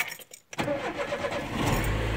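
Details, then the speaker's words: Chevrolet Corsa that cranked but wouldn't start, after refitting a removed part: quick crank, fires at once and settles into a steady, even idle; starts and runs normally, problem resolved. "é só da partida no carro e tá eu carro filé de novo ó"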